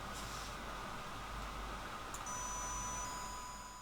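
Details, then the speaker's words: Fischertechnik hydraulics model, small motor powered via controller output one: thin, steady high whine starts partway through but the mechanism does not move; wiring to the wrong output suspected, not confirmed. "i hear it whine but i don't hear anything um oh i clearly hear the motor so why doesn't it work out is my assumption wrong then"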